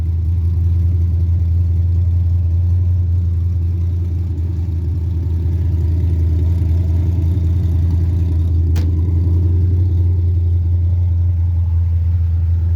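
Steady, even idle that sits noticeably high with a smooth low hum and no misses or stumbles; the idle speed is simply too fast. Cause suspected, not confirmed.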